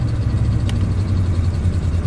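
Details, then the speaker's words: 1996 Ford F250 7.5L big-block V8 after rebuild (new pistons, rings, camshaft), cold and warming up: loping, stumbling idle, shaking badly and running very rich with poor vacuum; cause still being sought. "all right as far as bad boy up we'll see if it runs any smoother than yesterday so here it goes again with its loping"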